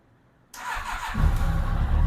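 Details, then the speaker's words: 2007 Yamaha FJR motorcycle, first start of a replacement engine after the original died: brief starter whir, then it catches at once and settles into a steady, even idle rumble; owner says it sounds much better than the old engine. "Whoa! Oh man! Wow! Wow! This sounds a lot better than the engine that was in it."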